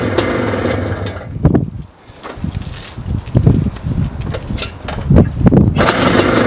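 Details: 1982 Maico 490 two-stroke, kick-started with half compression after a carb clean, its first start in 8 years of standing: uneven sputtering bursts as it catches and revs in short blips, then ragged running; starts and runs.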